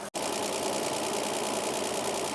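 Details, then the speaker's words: Toyota Land Cruiser 45 series 3FE petrol engine idling after tappet adjustment: quick light regular valve tapping over even idle, more tappy because rocker cover is off; steady, healthy valve train, ten times better than before. "It will sound more tappy at the moment because the rocker cover's off."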